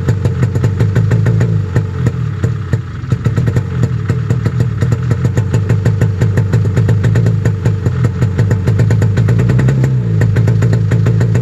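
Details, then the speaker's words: Snowmobile cold-started at 28°F at 7am; last year it took many pulls with 35 pilots, bigger cutaways and mismatched needle jets. Fast, even idle just above 1500 rpm, slightly rough at first then smoothing; healthy cold idle, to be watched. "so that's good just idling just above 1500 so i'm happy about that it seemed a little rough at the beginning so we're definitely gonna have to keep an eye on it"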